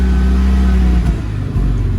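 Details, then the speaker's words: Mazda RX-7 FC turbo (CAK82), hot after 15–20 minutes idling with faults returned: steady revving holds, then abruptly drops and stumbles around 3800–4000 rpm with backfire; secondary injectors or ignition coils suspected. "As soon as I go a little bit more it it cuts. So that sounds like the um either the the other uh what am I trying to say? the other fuel injectors coming on the secondary fuel injectors or the um the other ignition coils."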